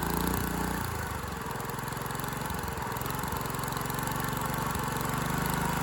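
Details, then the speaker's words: Dumpster go-kart engine with valve parts missing under the valve cover, run unloaded with backfiring and hard starting. Uneven single thumping about three to four beats a second with stumbles and dips. Owner suspects timing and valve lash; huge rear main leak. "What a turd. Definitely a timing issue and uh probably valve lash issue, but I think I'm just going to toss this in the trash."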